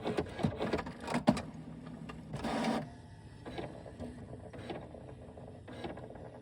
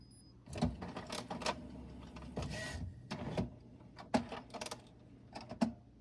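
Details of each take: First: New HP Smart Tank Plus 555 wireless printer on first start-up initializing: quiet whirring with scattered clicks and short motor bursts as carriage and pumps cycle; owner suspects ink flowing; normal initialization. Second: HP Smart Tank Plus 555 printer, new, idle after printing: quiet hum broken by short clicks and whirring bursts every second or so; owner suspects Wi-Fi trying to connect or a power-on signal, unconfirmed; intermittent mechanism noise.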